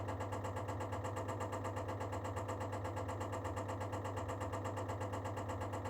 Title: baxi duo tech making knocking sound while preparing the heating process